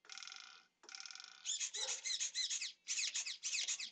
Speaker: and you guys heard how loud that servo was yeah it's just they're the it's the stock servers that come with it